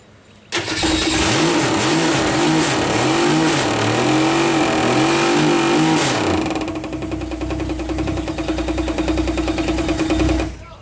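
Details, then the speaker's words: 1962 Ford Falcon engine on break-in run: fires and revs in swells, then idles with heavy knock about three times a second; owner first suspected valve cover or rocker area, not bottom end. "haven't opened up the engine or anything but that kind of sucked that uh there's a pretty bad knock"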